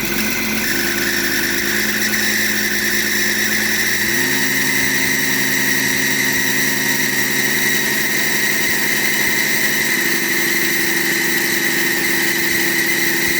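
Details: BMW E38 M57 3.0 diesel at idle with a rebuilt turbocharger that whines like the old one; constant high thin whistle steady over idle. Unplugging the variable-geometry control valve connector stops it, reconnecting brings it back; cause not confirmed.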